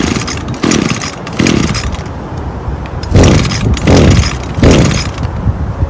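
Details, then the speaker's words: Small two-stroke engine after carburetor disassembly and cleaning: snaps up sharply on throttle blips and returns cleanly to idle with no bogging; healthy, no adjustment needed. "as you can hear it's got good throttle response it's not bogging either so no need to do any adjustments"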